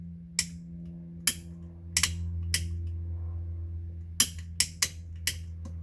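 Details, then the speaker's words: 50-year-old MK1 Ford Escort panelvan, off the road 30 years, electricals being revived: steady low motor drone with uneven clacks about every half second as windscreen wipers drag slowly; struggling wiper motor, owner suspects nearly dead battery. "I reckon my battery's pretty much dead. Is But that works. And windscreen wipers. See? Yeah, it's struggling."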